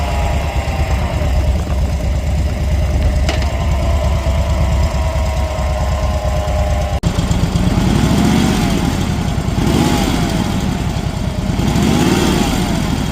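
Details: 2010 Harley Dyna Street Bob Twin Cam at idle: light metallic rattle and faint whine over lumpy V-twin beat, seemingly from the primary side; cause suspected, not confirmed.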